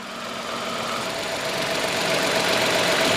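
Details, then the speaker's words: Engine idling about 800 rpm, AC switched on about 10 seconds after start: even hiss and faint steady hum rising slightly in level, no knocks or surging; normal idle, compressor loading. "இப்போ பார்த்தீங்கன்னா ஒரு 800 RPMல வந்து AC வந்து on ஆகிருக்கு. So compressor வந்து லோடாகி ஓடிட்டுருக்கு."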